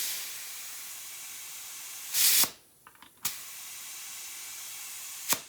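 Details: Garden sprayer tank pressurized to about 20 psi to prime the oil system of a 4.8 LS in a 1955 Buick Special: a steady high hiss with short bursts; air is leaking from the sprayer's side release button, which stopped once it was reset.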